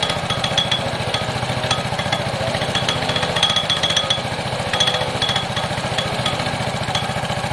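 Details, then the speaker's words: Piaggio Fly scooter, single-cylinder, on its center stand, briefly idling with the cover off: fast uneven metallic clatter over a busy idle; rattle most likely in the clutch area, suspected, not confirmed; cover to be swapped for another. "your rattle is most likely in here"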